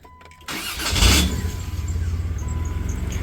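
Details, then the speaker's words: 1993 Dodge Caravan after starter work: a brief crank, then the engine catches with a harsh surge and a lingering thin metallic whine. The starter spins fine but doesn't disengage fully; the owner wonders if it needs shims. "Kind of engaged funny. Did you hear that? Sounds different. It spins over fine, but it doesn't disengage all the way."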